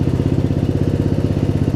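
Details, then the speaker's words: Murray riding mower, almost 20 years old, just fitted with a new gas tank, idling down before shutoff: low, even putter at about thirteen beats a second with no missed beats even at low rpm; normal idle. "It's not because the engine's running poorly. I mean, you can hear the engine's not even skipping a beat, even at low RPM."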